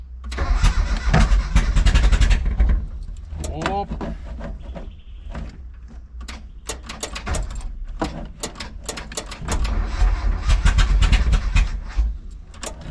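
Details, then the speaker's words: Mitsubishi L200 with EFI conversion and Magna distributor, distributor cap swapped and timing questioned: repeated starter cranking with ragged coughs and catches that never take hold. Cranks but won't start, though coughing is seen as progress. "That's good that it's coughing and spluttering."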